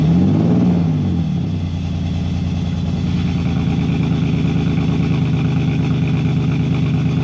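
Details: BMW E46 330ci drift build, first start after fitting Condor Speed Shop solid engine/gearbox mounts, headers and custom valved exhaust: deep steady six-cylinder burble after a quick blip; valve changes tone more than volume; healthy idle.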